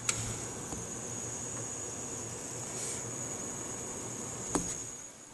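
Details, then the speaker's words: Gigabyte HD 7970 overclocked graphics card under load running Crysis at about 80% activity: a thin, steady high-pitched buzz over soft fan hiss; it stops instantly when the load ends. The owner is unsure whether this is normal. "load crisis cuz it starts buzzing really loudly on crisis right just launching crisis now"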